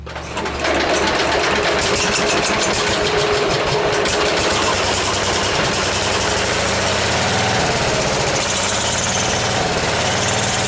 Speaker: it's going to be a little bit of a learning curve for me with messing with the governor and the cables i think the cables are a little bit out of adjustment